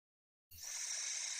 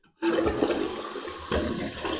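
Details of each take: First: Toilet tank fill valve with lid off: silence then a constant high hiss of water that never stops even with the float fully up and tank full; fill valve failing to shut off, needs replacement. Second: Toilet after fill valve replacement and fill level adjustment (old valve hissed, wouldn't shut off): strong rushing flush drains away within about three seconds, then quiet apart from a short gurgle; flushing normally, no hissing.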